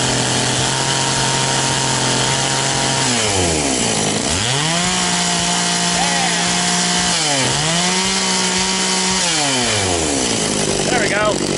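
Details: Very high-mileage Echo CS-670 chainsaw after coil and spark checks and tuning: revs up cleanly and drops back to a steady idle several times with crisp, even pitch changes; running normally.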